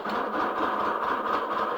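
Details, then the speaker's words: Volkswagen, unrun for a couple of months, started before fuel filter replacement: uneven, pulsing idle that stumbles and surges; running rough, owner suspects the long sit, fuel filter and pump then checked. "hasn't run in a couple months so this is probably why it's running that bad"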